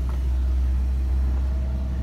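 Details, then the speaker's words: Ford Ranger with HVAC on and foot off the pedal. After a quick throttle jab the engine holds a steady drone instead of dropping to idle: high idle, revs hanging. "she is just hanging there so she's acting kind of weird"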